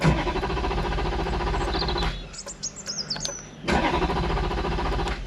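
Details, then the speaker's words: Wrecked Ferrari 430 Scuderia after a battery reset, fuel light on despite fuel in the tank, F1 pump audible. The starter churns rhythmically, pauses and cranks again but never fires: crank, no start. "not firing up mate uh I could hear the fuel pump going for the F1 system it's not fuel pump you can hear the F1 pump going mate uh that is odd"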